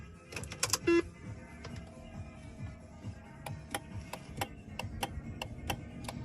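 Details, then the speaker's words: Land Rover P38 door, after swapping in a known-working spare window regulator and changing the outstation: relay clicks sharply but the window motor doesn't run; signal is reaching it, cause unknown. "Can hear it clicking, but it's not doing nothing."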